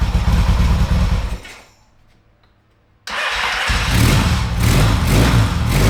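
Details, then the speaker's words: 1970s Yamaha XS650 twin that sat for 10 years, being revived. It revs strongly, drops almost silent, then catches and revs up cleanly with an even, deep beat, sounding healthy. The brake caliper is leaking fluid and the brake seems to be sticking. "that yeah this is pretty good okay that sounds great"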